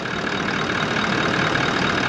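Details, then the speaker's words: 79 Series Landcruiser just after a new replacement motor was fitted following the old engine blowing up: even, steady idle with no knocks, ticks or misses, a smooth quiet hum, quieter than before; healthy normal idle. "It sounds a lot quieter, doesn't it? Idles nicely."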